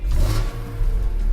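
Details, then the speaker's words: 2002 BMW M3 E46 straight six, about 100,000 km, vanos revised, fully warmed up with oil and water at temperature: free revs climb and fall cleanly with a hard, characteristic metallic rasp, smooth and even; normal. "This is quite a metallic sound. It's quite characteristic. Nothing else sounds like this out of the factory."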